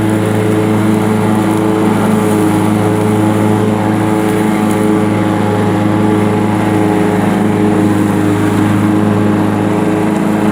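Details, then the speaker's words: Sears Craftsman Honda 42-inch riding mower, after backfiring fix, mowing under load at constant speed: steady even drone with no popping, misses or surging; running very good. "As you can see, it's running very good, and it's cutting the grass nice now."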